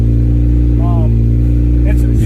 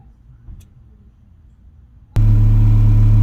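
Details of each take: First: 1991 Acura Integra DA9 with a B20 running a B18 base map after an OBD1 conversion, warm: fast idle near 2000 rpm that won't drop with throttle cable adjustment and a check engine light on; cause not yet found. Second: 1991 Acura Integra DA9, B20 swap on B18 base map after OBD1 conversion, warming up: after quiet lead-in a smooth, steady, even idle around 900 rpm; normal warm idle.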